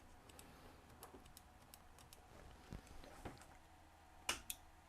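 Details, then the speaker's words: Omron H3CA timer relay repaired after bad solder connections, set to 0.5 second: faint, crisp clicks about every half second in a quiet room; relay switching cleanly, normal. "So it's 0.5 of a second. On, click. It's working perfectly. It just had a bad solder connection."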